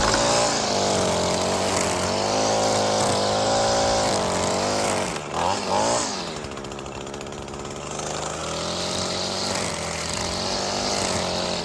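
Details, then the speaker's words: Echo SRM-225 two-stroke string trimmer, bought non-running, now cutting grass: crisp steady buzz holding revs, dipping briefly under load and recovering cleanly; running well. "Yep, and just like that, we got a good working Echo string trimmer."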